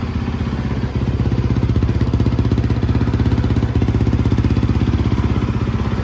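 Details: 2013 Yamaha YZ450F after a rebuild, idling in first gear with a Rekluse clutch so the bike doesn't move: even, steady thump about four beats a second, no knocks or misses; normal idle.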